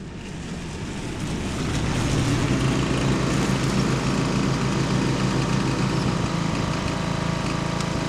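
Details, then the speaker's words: 1979 John Deere Model 68 riding mower with five-speed transmission, running for the first time in years after a leak fix: steady, even single-cylinder drone holding speed under mowing load through weeds, no knocks or misses; running healthy. "Yeah, for being a junk old mower, it cuts pretty good."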